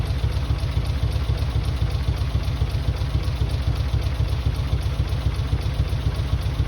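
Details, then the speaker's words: Mitsubishi 3000GT VR4, new engine's first start on old, long-sitting cleaned injectors, still cold. Low, thumping idle with an uneven, loping beat about twice a second. Owner suspects injectors, with one or two cylinders misfiring; rough idle. "Probably one cylinder misfiring right now, or maybe two."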